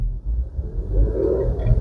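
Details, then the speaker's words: Jeep 3.6 V6 at 200,267 miles, one week on Valvoline Restore and Protect 5W30: low, soft rumble with no knocks or ticks; smooth, healthy normal idle. "And it's just as smooth as can be."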